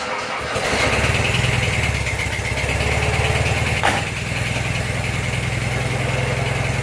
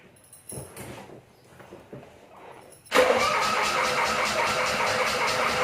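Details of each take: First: 1985 Suzuki Mighty Boy started after 50 days sitting, freshly charged battery, cold: brief cranking, then catches and settles into a steady even low idle with no knocks or misses; healthy start. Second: 1985 Suzuki Mighty Boy after 50 days sitting, freshly charged battery: a few seconds of faint, uneven cranking before it catches and settles into a loud, steady fast idle; extended cranking before start.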